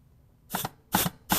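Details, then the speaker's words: Rebuilt 722.9 automatic transmission on bench, compressed-air check of B2 clutch (shop towel sealing ill-fitting hole) before valve body install; three quick bursts with firm thumps about 0.4 s apart, no leak hiss. Normal clutch apply. "oh boy listen to that that's a real good air check right there perfect now when you get good air checks like that that's good workmanship right there"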